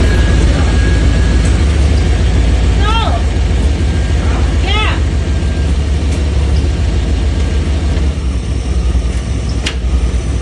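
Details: 1995 Chevy OBS truck running: a heavy low rumble broken by a few sharp, isolated clunks at irregular intervals, cause unknown.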